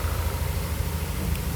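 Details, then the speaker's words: Yamaha NMAX V2 scooter after engine repair from neglected oil, in break-in: low, smooth, even idle with no ticking or rattle on top; was tinny-sounding the day before, now quiet and healthy. "Napakatahimik na ulit ng makina."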